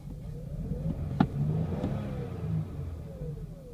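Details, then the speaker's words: 2006 Kia Sedona LX with 77,255 miles: uneven, stumbling idle with irregular low thumps and a lumpy beat, shaking badly; severe engine misfire, owner suspects it needs a tune-up, cause not confirmed. "77 255 miles probably needs to tune up or something like that with only 77 000 miles this shouldn't be a problem shaking crazy this thing is rough no good rejected"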